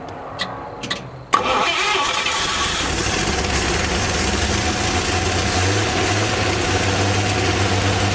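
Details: 1954 Chevy 210 two-door coupe, engine started after sitting an unknown time: a couple of cranking bursts, then it catches and settles into an even, steady idle with a smooth low beat; runs good with oil pressure.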